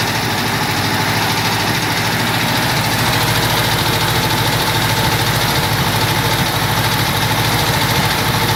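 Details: Cox model engine running with a loud, busy air-cooled idle at a fairly even beat of about three per second; there is some unusual noise in it, cause unclear.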